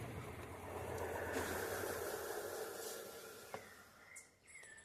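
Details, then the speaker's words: Consul 12 kg washing machine spinning empty, without water or load: thin high scraping squeal rises over the spin drone then fades, like something catching; reported to scream badly during spin, typical of a slipping drive belt. "aquele barulho arranhando né como se fosse alguma coisa prendendo"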